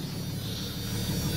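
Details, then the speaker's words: 1991 Jeep Cherokee, 475,000 km, after bad water pump identified as cause of engine noise: quiet even idle rumble with no ticking, knocking or rattle; runs sweet, oil pressure good. "there's thing runs sweet US needs an oil change but all right"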